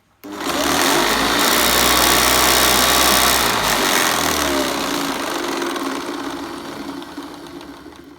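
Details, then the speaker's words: Hoover Commercial C1310 upright vacuum just unboxed, first switch-on: harsh, rough rasp over the motor roar that winds down as it coasts; brush roll bearings sound dry. "very good brush roll but the bearings on it do sound a little bit dry"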